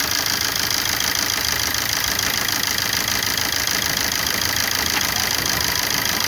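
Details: 2009 Opel Corsa D 1.3 CDTI 75 hp diesel at idle: steady, loud, clattery running in heavy hiss, no distinct knock; owner finds the engine very noisy and asks if it is a problem or normal.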